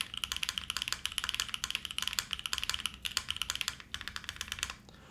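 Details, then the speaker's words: LuminKey75 keyboard space bar with keycap fitted over a gasket-tab mounting point: quick, crisp, even clacks several times a second that sound better than before. A slight stabilizer rattle is heard that the builder wants to lube. Overall the typing sounds normal. "that already sounds better still not my favorite space bar in the world but I do want to lube up the stab I hear it rattling a little bit"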